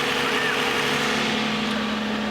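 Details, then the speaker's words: Flood-damaged push-start car: smooth steady idle with even tone, no knocks or misses; started right up, check engine and traction control lights on, possibly a little water inside. "i mean it started right up and this thing smells great"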